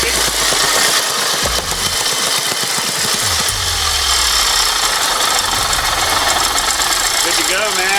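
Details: Mikasa 75H tamper with Robin 12D two-stroke after repair, CJY plug instead of hotter CJ8, air filter on, started without choke with the petcock off: loud, rattly clatter at a steady beat with no sputtering; running good.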